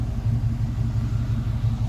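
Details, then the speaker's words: TBI-converted vehicle at the smog shop, warmed hot on the freeway, regular octane fuel: low uneven idle with irregular stumbling pulses, not firing cleanly; owner suspects cold spark plugs or a bad sensor, idle jumping around. "so it's running a little rough it's not firing quite right I don't think it's gonna give me any better numbers"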